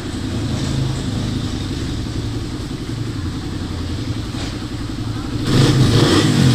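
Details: Motorcycle with noisy engine after new timing chain and guide, shims and reset tensioner: even smooth idle, then clean rev near the end, no ticking or rattle; engine now healthy.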